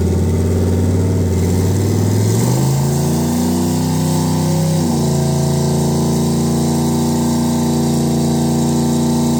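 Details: Vs Racing 78/75 billet next-gen turbo on a 2.5 engine after the crossover-pipe exhaust leak was fixed: starts and revs smoothly, tone rising and settling to a steady idle, no ticking or puffing; normal turbocharged engine running.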